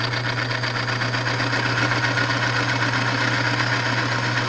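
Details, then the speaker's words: Small engine in a cold-start lubrication demo, crankcase filled with a Petron Plus supplement and oil mix, run for a minute: steady even hum with soft whirr from lubed bearings, no knocks or grinding; normal quiet running. "let that run for a minute there and get some lube on those bearings and you can hear just how quiet once that gets on there how quiet that gets"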